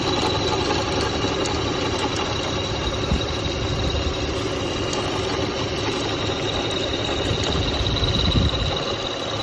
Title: 2003 Toyota Highlander V6 Engine: Intermittent Rattling Sound near serpentine belt